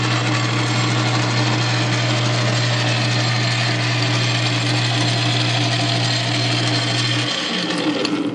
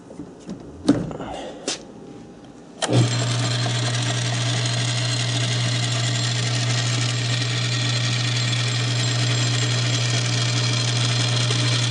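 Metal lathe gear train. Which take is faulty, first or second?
second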